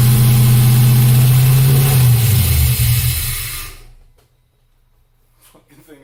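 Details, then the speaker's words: LS1-swapped Chevy S10 on startup with coolant temperature sensor unplugged: loud, steady, fast idle held well above normal, smoky, before shutting off; ECU holds idle high without the sensor signal. "Turns out I did not have my water temp sensor actually plugged in, And you know, apparently that's kind of critical. ECU takes a signal from that regardless of what the temperature actually is."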